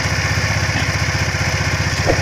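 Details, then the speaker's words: Honda Vario Techno carburetor scooter after replacing the worn front pulley roller bushing, 3 slider pieces and cleaning the clutch area: engine runs with an even, steady putter, the low-rpm CVT ticking gone. "Sekarang sudah tidak ada lagi suara detikan, jamnya kembali berjalan mulus. Hanya bisa dilakukan dengan mengganti bushing depan dan 3 bagian karet geser tersebut."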